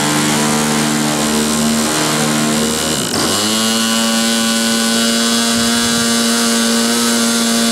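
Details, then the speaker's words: Glow engine on SIG Kadet LT-40 during first break-in run on restraint, primed and started: high buzz sags briefly then holds a steady note, rough and burbly underneath; needle set obviously too rich, restarted. "okay that was obviously too rich start it up again"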